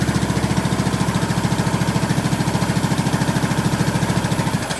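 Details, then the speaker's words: 2003 Craftsman LT2000, 18.5 hp Briggs & Stratton Intech, first start with fresh gas and plug: a steady thump at about 3.5 firings a second, even until it fades; runs well, needs an air filter and oil change. "That thing runs really good, man."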